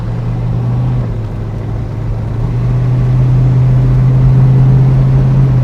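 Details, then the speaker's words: Mercury Cougar V8 with new 2¼-inch Mustang H-pipe exhaust, driving away: deep smooth rumble swelling evenly, much quieter than running with no exhaust, no rattles or leaks; exhaust sounds healthy. "Oh man, it's weird to be this quiet. I'm used to it being loud with no exhaust, so."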